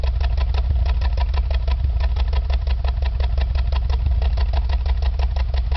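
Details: Engine at a low, lumpy idle with uneven exhaust puffs and pops, about three a second and irregularly spaced; exhaust misfire, cause unknown.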